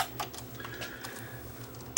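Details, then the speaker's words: Fostex D5 DAT recorder that opens and closes by itself, with the lid switch bypassed by a jumper: small clicks and a brief motor whir ending in a sharp click as a loaded tape threads normally; faulty switches await replacement. "So that'll thread, and we'll see if it'll play. It should play."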